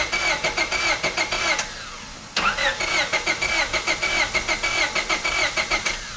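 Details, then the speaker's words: 2000 Honda Civic EX with aluminum head that overheated, known blown head gasket: cranking with an uneven, lopsided beat and starter squeal, never firing though it ran before; low compression from blown head gasket. "So actually, the car's not even turning on in our case, although before it was turning on. So if it's not turning on, we don't have enough compression."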